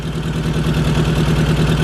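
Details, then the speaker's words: MK1 Golf 1.8T AWD project car, idle settled down: loud raspy puffing chuffing in step with each firing pulse, engine otherwise running really good; a severe exhaust leak. "seems to be running really good that exhaust link is just wicked though"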